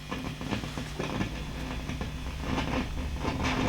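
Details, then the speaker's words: Marshall JTM45 MkII model 2245 valve guitar amp on bench: irregular crackles and pops over steady low hum, rough grumble that comes and goes when valve is moved; traced to dry solder joint on the valve base. "okay i can hear that's come up now oh there you go nasty nasty nasty okay oh and it's grumbling away again as well which i like hear all that racket"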